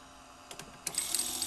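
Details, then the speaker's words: 1978 RCA VCT-200 VCR, belts okay, pressing play: sharp clicks, then a thin rattling, buzzing chatter as a gear cracked in half in the tape transport makes the mechanism vibrate. "I mean it play it kind of vibrates as if it's broken"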